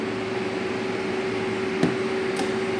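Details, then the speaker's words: Carrier EasyCold refrigeration unit's indoor section with three blowers: one evaporator blower motor gives a constant droning, mid-pitched whine over the fan rush. This noisy blower blew a fuse, so it was switched off. "nadali yung fuse Doon nagiingay siya kaya pinatay ko na lang siya agad"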